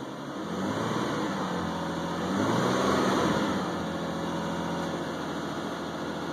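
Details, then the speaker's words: 2001 Isuzu Rodeo just after EGR valve, tube and throttle body cleaning: steady low idle that lifts briefly and settles back smoothly, no misses; slight revving likely leftover throttle cleaner in intake; normal idle. "The engine's revving a little bit, I think, because there's probably some throttle cleaner left in the intake, but"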